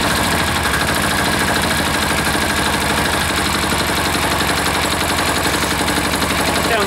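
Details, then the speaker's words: Air-cooled diesel engine, just reassembled, idled down after full-throttle running that sounded fuel-starved; quick, even knocking at about four beats a second with no misses, and the owner doubts it will go much lower. Normal idle. "pretty good right there you know that I don't think she'll go a a whole lot lower than that"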